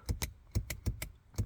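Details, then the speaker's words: Corvette C4 ('86/'91) seat lumbar-support air pump compressor, under the lower seat cushion: sharp paired clicks with no motor hum; it clicks but does not run, so the back air cushion won't inflate. "So maybe for information on the compressor you have this function here for the compressor itself, you can hear it clicking"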